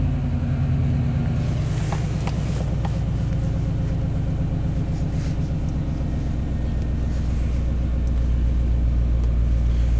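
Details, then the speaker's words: 1991 Chevy K1500 4WD, throttle body injection, brought in for surging and stalling. Idles with the oxygen sensor unplugged on the default fuel map: a steady low rumble, even for ten seconds with no stumbles. Runs great; normal idle. "all right come on communicate there we go I mean it runs great"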